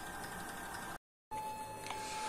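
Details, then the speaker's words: Peristaltic pump for thick mash, unplugged and plugged back in, restarting with its saved settings: short silence, then a steady high motor whine returns and holds even; the pump restarts and runs normally. "мы его сейчас включим Выключаем его из розетки включаю Он также запустился"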